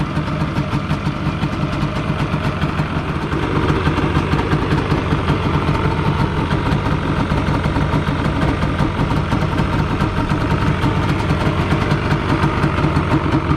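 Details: 1997 Yamaha Banshee two-stroke twin on restored OEM stock exhaust: steady, even low idle burble, no misses or rattles, much quieter than the earlier grunty pipes; normal idle.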